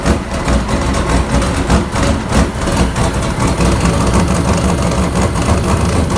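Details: 1999 Sierra with a turbo LS 6.0 (VS Racing 7875 turbo, Hi Ram intake) on a base startup tune: deep, loud idle lurching unevenly about 1.5 times a second; rough, hunting idle, with idle tuning still unresolved.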